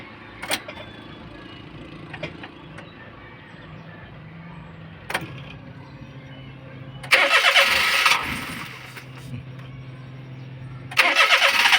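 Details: Daihatsu Atrai that won't start: two bursts of steady starter cranking about three beats a second, never catches; ignition coil spark found weak and irregular; crank, no start from failed ignition coil.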